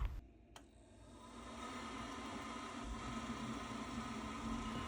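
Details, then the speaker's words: Worcester Bosch 30i ErP boiler after repair of fault EA227 and washing-machine-like bubbling (condensate trap and black hose checked, not air locking): quiet fan whirr builds and holds smooth, no bubbling or gurgling; boiler running normally. "that sounds a lot better and green light means go and that's another one done Happy Days"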